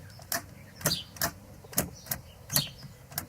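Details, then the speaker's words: Car that only starts sometimes, key turned: a few light, irregular ticks and no cranking at all; the starter motor is suspected but not confirmed. "Okay, it just does that. There's a little bit of a tick sort of noise, but nothing else."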